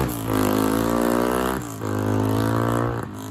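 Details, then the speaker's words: 1987 Honda XR250 single-cylinder four-stroke on the bench, good compression. Smooth, even exhaust note swells on two clean blips and settles back without misfires or knocks; runs healthy, 'like a Swiss watch'. "But yeah, runs lovely, like a watch, like a Swiss watch or a Japanese watch, Honda Japanese watch."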